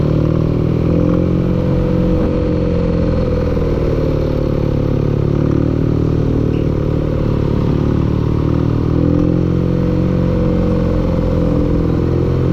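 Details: Loud, low engine running at steady speed with a dense clattering rumble underneath; sounds like engine knocking, cause suspected but not confirmed.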